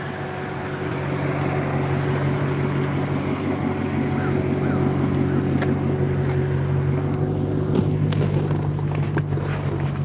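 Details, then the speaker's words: Warm idle of a Maserati's V8 with the hood open. The earlier clicking or ticking has gone away. It is a deep, steady burble with light rpm fluctuation that the owner thinks should be okay. Normal idle. "But yeah, once it's warmed up, everything is just pretty much chilling."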